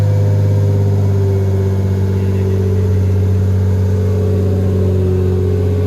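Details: Lexus SC300, bought for $600, running after first start-up: loud droning exhaust holding a steady smooth tone, no misses or hunting; engine healthy, just noisy.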